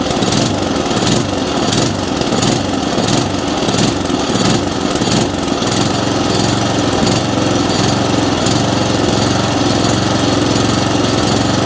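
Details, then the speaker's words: Atco Commodore B17 cylinder mower engine runs loud and uneven, its revs rising and falling about once a second. It is hunting and surging because too little fuel is coming through (lean mixture). "now if you've got a hunting and surging issue then like i said that's fuel delivery issue now that's telling me we're not getting enough fuel coming through"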